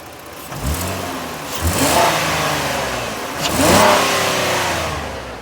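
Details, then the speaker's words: Collision-damaged AWD 2019 Ford Explorer Police Interceptor, automatic, 62,311 miles, 8,389 engine hours, warm after running over an hour: two quick blips rise cleanly and settle smoothly with no knocks or rattles. It revs nicely and idles smoothly; the engine sounds healthy. "First, I'm going to rev it up so you can hear the engine. The engine sounds good."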